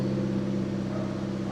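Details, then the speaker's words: Honda Civic FD with crushed catalytic converter internals: loud, raspy, buzzy exhaust drone like a straight pipe with no chambered-muffler depth; owner suspects the choked exhaust raises fuel consumption and is considering new headers. "Parang ano eh, parang nakaskav. Nakaskav, parang wala akong tambucho. Parang hindi naka-chambered na muffler. Iingay."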